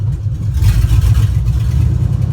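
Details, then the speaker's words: Junkyard 5.3 V8 with 234,000 miles, first run, idling around 500 rpm: deep lumpy uneven idle with occasional stumble; slight skip/misfire that clears up as it runs and gets some revs. "sounds like it has a little bit of a skip there [Music] clears up once you get some graphs in it"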